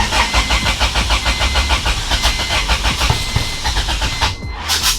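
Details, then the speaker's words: B20-swapped EK Honda Civic: sluggish, uneven starter churning at about three turns a second that never catches; slow crank with the battery at only 12% charge. "And now it won't start. So I think the reason it's not starting currently is because the battery was only at 12%, and I think it usually needs more than that."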